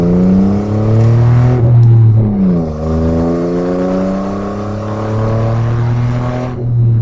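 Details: Audi A4 2.8 12V with an exhaust leak right after the flex pipe and before the cat, leaving one bank open: a rough, tractor-like chuff follows the revs, worst at start-up and under acceleration.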